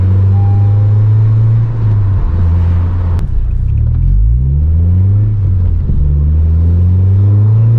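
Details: 9th-gen Honda Civic Si after an Acuity cold air intake install, while driving: smooth engine pull climbing through a gear change with a soft, airy intake rush under throttle, no knocks or rattles, sounding best from about 4,000 rpm; healthy intake.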